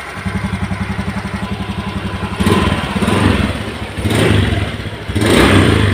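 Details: Honda Beat scooter after replacing noisy engine bearings (6205 and 6007): even, soft idle putter, then smooth throttle blips with no knocking or rumble; engine smooth and quiet again.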